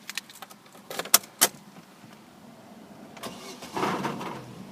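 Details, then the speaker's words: Vauxhall Astra starting: a few light clicks, then a short metallic rattle as the engine fires that fades away, none at idle; source unclear, owner thinks it might be the exhaust. "you can see that was a bit of a rattle as the car starts ER and I'll do that again so if you just listen out you can hear the car rattle when it starts not quite sure what it is I think it might be the exhaust"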